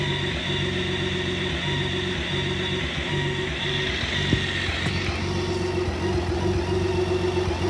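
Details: BMW K1600B motorcycle with a rough, stumbling idle and no diagnostic codes; the dealer found nothing. It happens only at idle or in first gear near the top of clutch engagement. Fuel treatment, a TPS reset and an air filter check didn't help; owner suspects bad fuel, exhaust or plugs.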